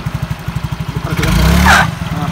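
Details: Yamaha Mio J / Exride 115cc scooter, weak pull and struggles on hills: even idle thumping, then throttle blip brings short high squeal like a pinched mouse from the CVT as revs rise; worn, holed variator parts found.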